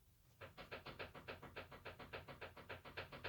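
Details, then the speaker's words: Used car's front suspension, knocking present since purchase and when turning the steering: sharp rhythmic knock about three or four a second; suspected tie rod end, tie rod or steering rack, ball joint checked fine; worn tie rod end. "этот звук меня стал напрягать я 2 раз ездил на работу варю сам себе все хорош так ездить нельзя не дай бог что нибудь вот с этим вот стуком три причины рулевой наконечник рулевая тяга рулевая рейка"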